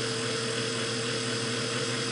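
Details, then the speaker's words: Vintage Singer 404 sewing machine after degreasing and fresh oil and grease, running in sewing mode and sped up: smooth, constant mid-pitched hum with no clicks or grinding, runs freely and fast; normal sewing run. "that sounds great just speed it up a little that's actually pretty fast for having uh degreased it and put some fresh oil and grease on there"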